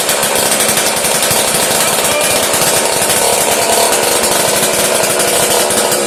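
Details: One of three Homelite 150 chainsaws, fuel primed down carb throat, choke partly opened: loud raw rapid crackle of unmuffled small two-stroke running hard on primed fuel.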